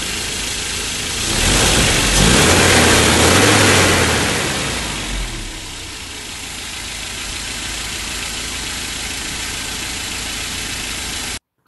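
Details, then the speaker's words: 1987 Mercedes 190E W201 KE-Jetronic after repairs: plugs gapped to 1.9, Seafoam treatment, mixture richened and idle lowered. Blips and settles to a smooth, even idle with no shake or miss; vibrations almost gone, normal idle. "course he told me that he had to do sea foaming of the engine and the vibrations the shakings were almost non-existent"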